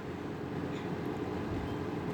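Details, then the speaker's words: Vintage 1983-1984 Sears 453-812100 20-inch Lasko-made box fan on low speed, its whiniest setting: soft airy rush with a faint, steady whine held at one pitch and otherwise quiet. Normal low-speed motor whine. "Yeah, it's pretty quiet other than the whine. Which honestly, I kind of like the motor whine."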